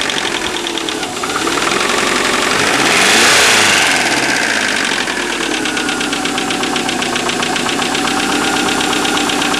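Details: Subaru EJ25 with a regular knock at idle, about four beats a second tied to engine speed; owner unsure whether piston slap or rod bearings.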